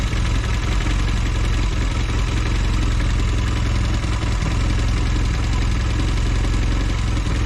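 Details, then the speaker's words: Velocette LE after clutch and points adjustment idling at about 1300 rpm: an even, steady low putter with no misses or knocks, but running a little fast; the idle speed wants turning down. "Says it's doing 1300 RPM at the moment, so I may need to adjust the idle a little bit."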